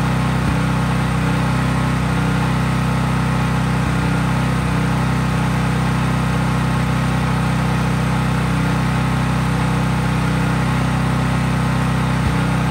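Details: Craftsman 5000-watt generator outdoors after a cold start, at full speed with no load (only an LED bulb plugged in): a steady, even low drone at constant governed speed, no surging or misses; normal healthy no-load running.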